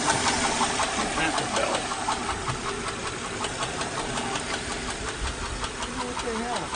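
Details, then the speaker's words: 2008 Honda Odyssey, 212,457 miles, at idle: fast, steady top-end ticking about 160 a minute from damaged camshafts and rocker arms, twice misdiagnosed as timing belt; van also squeaks and possibly knocks but still drives. "there's something going on with my van it's been making three different noises it sounds like ticking in the top end squeaking in the top end and maybe I'm knocking in the bottom end but it still drives okay"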